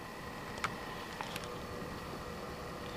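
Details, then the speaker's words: Be Quiet Dark Power Pro 10 750W 80 Plus Gold PSU at about 20% load: a very quiet, even airy fan hiss with no bearing noise. Faint rattling comes from the Corsair H100 liquid cooler, not the PSU; normal fan running. "take a lessen at the fan noise coming from it and uh might might be hearing some rattling in the video and this is actually not coming from the power supply at all"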